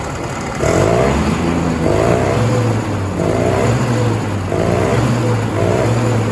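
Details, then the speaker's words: 1967 Ski-Doo Alpine twin-track snowmobile two-stroke, revived after sitting many years, now running on its own fuel source; buzzy clean idle with throttle blips about once a second, no spitting or bogging; earlier bog was lean, normal idle now. ">> It was lean. That makes sense. It idles now. >> Yeah. Sounds strict."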